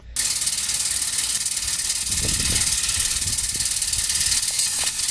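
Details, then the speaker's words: Home AC outdoor unit just switched on, heard outside after a weird noise all day; loud, steady hissing rush with faint, uneven rattles, clearly abnormal, cause not yet determined, technicians called. "So on today's problem, I noticed my AC is making this weird noise. So right now my AC is off. Go ahead and turn her on. Let me take you guys outside so you can hear this issue."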